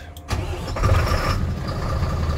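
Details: Mercedes-Benz Axor diesel truck with a hard-starting problem, after replacing a housing and O-ring: short crank, catches at once, settles into steady even low rumble; clean first-crank normal start.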